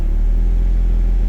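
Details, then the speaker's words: Turbo Toyota MR2 warmed about 10 minutes, idling about 1000 rpm with AC on, vacuum around 18–22; steady even low rumble with no misses, knocks or hunting; normal idle. "but that's about where my idle sits."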